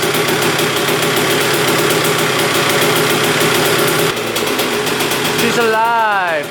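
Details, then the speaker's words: 2001 Honda CR125 two-stroke with seller-rebuilt engine, after fixing a fully pulled throttle cable: crisp, even buzz holding steady with clean throttle blips and no misfire; healthy. "Well, that sounds pretty darn good. It revved to the moon right when we started it up."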